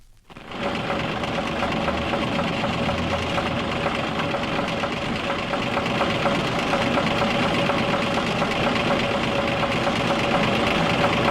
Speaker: because there's a lot of labor involved in getting the piston out, but it may cost a great deal more if it's left to cause damage to the piston and the cylinder.